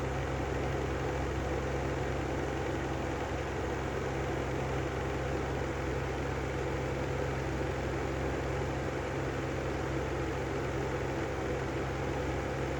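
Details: Brand new Lanson style 3 exhaust fan running at constant speed; steady hum with a rough low rumble underneath and no pitch change, from bad bearings.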